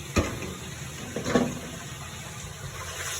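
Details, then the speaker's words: Whirlpool washer after parts replacement: a steady rush of water filling the tub, with a couple of brief knocks. Before the repair, starting a fill gave only a buzz; now the water flows normally. "and it's filling up. Before all I had was the buzz."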